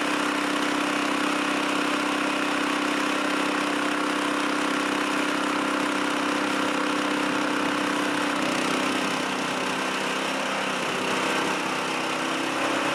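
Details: Chinese walk-behind track dumper bought broken at auction, untouched, tipping its water-filled bin: small petrol engine holds a steady, even buzz under dump load, no misses or knocks; running fine, bin dumps.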